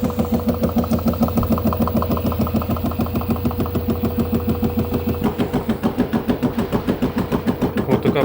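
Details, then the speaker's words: LG F-1220TD washing machine running: steady rapid knocking over motor hum, about three knocks a second, drum bouncing on failed bearings even after new shock absorbers; fixed by replacing bearings and seal. "pukanie powodem jest bęben podskakuje po takim uderzeniu w prawy samochód"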